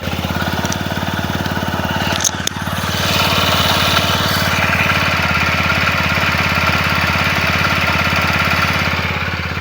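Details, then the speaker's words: TVS Apache RTR 160 4V, 41,000 km, just repaired after head noise, started and idling cold at about 1700–1800 rpm, expected to drop as it heats; BS6 idle runs slightly high. Even, quick single-cylinder beat, smooth and healthy; normal idle. "इसका RPM जो है 1600 से 1700 पे set है। And ये थोड़ा कम हो जाएगा जैसे ये हीट हो जाएगा। अभी आरपीएम लगभग 17 से 1800 पे आइडलिंग कर रहा है।"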